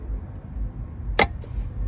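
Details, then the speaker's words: 48-volt EZGO golf cart running slow: single sharp click as the tow switch is flipped from tow to run, solenoid energizing without the pedal pressed; a stuck solenoid can make the controller cut to half speed; pedal-box micro switch to be checked. "and you can hear the solenoid clicking, which means the solenoid is getting power as soon as you put it in tow."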